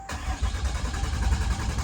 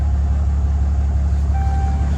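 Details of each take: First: 2012 Ram 2500 6.7L Cummins turbo diesel with electronic fuel pump, cranking right after a fuel filter change: low, steady chugging crank for two seconds with no catch yet as the new filter canister fills and purges air. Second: 2012 Ram 2500 6.7L Cummins turbo diesel restarted after fuel filter change, brief cranking to refill canister: deep, steady diesel rumble with an even beat, no misses or knocks; normal idle, may run slightly rough at first.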